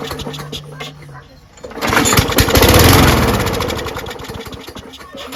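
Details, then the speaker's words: Craftsman 21in push mower, Briggs & Stratton Quantum 6.5HP primer-bulb engine with muffler bolt missing: catches and revs with loud sharp blatty popping, then sags; exhaust leak at muffler, carburetor probably dirty and not priming, needs cleaning. "it works but uh as you heard something's up with the muffler cuz it's missing a bolt put the bolt back in there but looks like the carburetor needs to be cleaned for sure"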